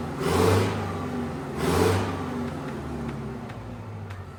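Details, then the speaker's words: Detroit 8V71 two-stroke diesel from a bus swapped into a John Deere 5020 tractor, first run in cold shop, hand throttle revved to perhaps 1500 rpm, no tach: two clean blips settling to even idle, no knocks or rattles; normal running under revving. "we don't even know what RPM that was if I was guessing I think maybe I got to, 1500 I could be wrong yeah I don't think I got her that high"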